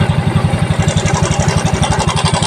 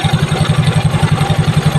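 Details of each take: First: Mio Soul i scooter at idle, light metallic cam chain rattle riding on the quick exhaust pulse. The noise comes back when the turned cam chain tensioner is released. The tensioner is faulty and is to be replaced. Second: Yamaha Mio Soul i scooter after tensioner replacement: engine idling evenly with a soft, steady low putter, earlier slapping clatter from the faulty tensioner now gone; normal idle.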